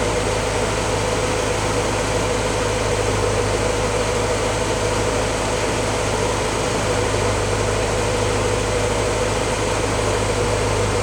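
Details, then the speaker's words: 1953 Willys CJ3A L-head flathead, owner-rebuilt, warmed up from cold start (head and pistons warm): even steady low rumble, no knocks or misses; smooth normal warm idle. "you can hear the engine's a little bit smoother now that it's got some a little bit warmer the head's warm Pistons are warm"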